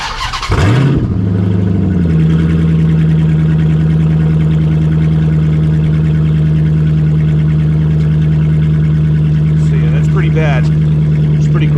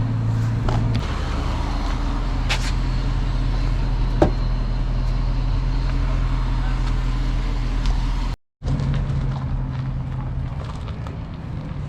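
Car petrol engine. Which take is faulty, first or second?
first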